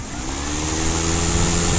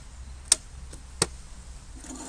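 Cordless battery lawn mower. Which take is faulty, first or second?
second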